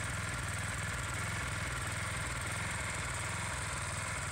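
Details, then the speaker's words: Gas-powered pressure washer small single-cylinder engine after the fix: it had run rough, cut out and lacked power despite a new spark plug; fuel line and filter reconnected. Fast, even patter with no stumbles or surging, much stronger and smoother; normal running. "can notice a difference in the way it's running much stronger much smoother"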